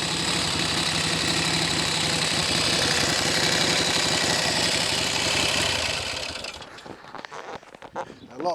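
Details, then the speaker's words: Norton Navigator 350 single idling at rest: a rapid, fairly even mechanical clatter of about four beats a second, which the mechanic thinks comes from the gearbox fault (no second gear); the tank also rattles. "that noise I think is due to the gearbox fault"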